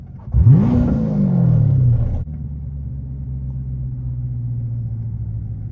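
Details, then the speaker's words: C7 Corvette pulling away, heard from inside the car: the engine revs, then a heavy low rumble with an uneven shudder as the whole car shakes. The owner suspects the transmission is not switching gears; the cause is unconfirmed. "oh oh no no bro my whole car is shaking when I did that y'all can hear it"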